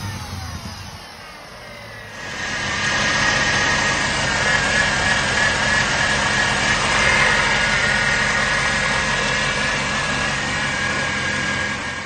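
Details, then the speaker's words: 2018 Chevrolet Camaro ZL1 6.2 LT4 supercharger, revving; hard steady whine like a bad power steering pump over the engine; bad pulley-side and inner bearings plus worn couplers, rebuilt afterward. "making that loud not supercharger wine but the almost like a bad power steering pump one and it was doing it really bad it just didn't sound good"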